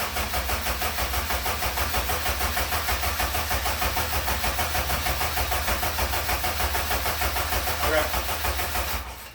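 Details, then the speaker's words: eBay EM2 Civic with newly installed cheap T3/T4 .48 A/R turbo, replaced because the old one smoked: ECU fuse pulled, cranking to prime oil through turbo before first start; steady even cranking about three turns a second, never catching; normal. "we're gonna prime the motor so we can get a little bit of oil going through this turbo if you don't want to start it when it's dry there's crank it a little bit"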